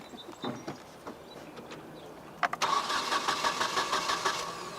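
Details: 1996 Nissan 2.4 cranks with an even starter rhythm but never catches or fires. It is a no-start with no spark, diagnosed by checking coil control with a test light and scope.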